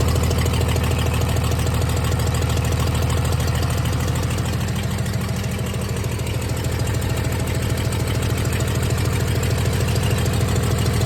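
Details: 1996 Dodge 2500 diesel idling cold, still burning off oil after turbo failure: loud unmuffled clatter about 200 beats a minute, slightly uneven; shakes and idles rough cold with a tick, smoother once warm.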